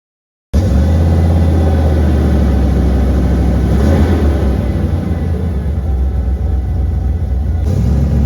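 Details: OBS Ford with stock 5.0 L V8 after Saginaw power steering pump conversion (1990s Econoline bracket, van hose, 92 13/16 in belt with smog delete): deep exhaust rumble under acceleration, no steering pump whine.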